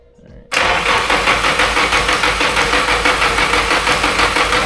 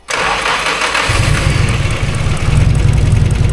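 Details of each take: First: Nissan SR32 build on a Link ECU: about five seconds of steady, even cranking at roughly three beats a second with no firing; fuel pressure dropped, no injector clicks heard; cranks, no start. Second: Nissan SR-based SR32 build, first start on a Link ECU using the ECU's built-in base map, with fuel pressure confirmed: brief starter turn, then it catches at once and settles to a steady, even idle. The map still needs tuning.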